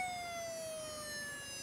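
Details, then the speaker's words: Very old laptop hard drive on a drive adapter, turned over: thin high whine slowly sagging in pitch, then a bump at the end, strong vibration; abnormal noise, cause unknown. "Vibriert richtig."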